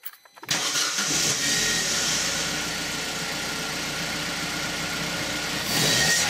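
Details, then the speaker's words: Opel Corsa D petrol engine after its crushed engine mounts were replaced: starts cleanly and settles into a smooth, even idle with no knocks and no vibration. "все нормально ничего не стучит сами слышите наверно все хорошо кредите не вибрирует"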